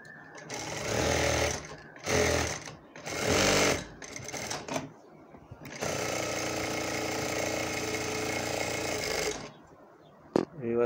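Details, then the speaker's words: Juki industrial sewing machine after hook timing reset to hair-width gap; a few short bursts then a long even run with fast steady stitching rhythm, no stumbles; timing correctly set, normal sewing machine operation. "देखें यह timing बिल्कुल set हो गई है"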